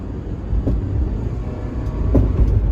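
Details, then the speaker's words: Honda Element, 140,000 miles, right after replacement catalytic converter installed following theft; low even quiet exhaust rumble with sway bar end links clicking; sounds like a K-series again; normal exhaust note. "sounds like a k series again i like it"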